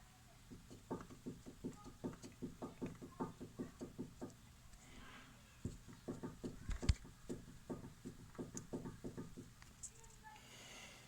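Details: Lada Vesta with the body rocked: hollow, clacking knocks about four a second, identified as worn stabilizer (sway bar) links.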